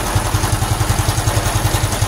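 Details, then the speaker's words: Honda Supra X 125 FI with racing valve springs, warm engine at idle. Even metallic clatter about five times a second throughout. Owner says it is not from the head but from the cam chain tensioner or magneto area; cause not yet found, though better than before. "ini sayangnya ya muncul lagi suaranya. Tapi setelah saya deteksi itu bukan dari head ya, Teman-teman. Ini suaranya tuh dari sebelah sini."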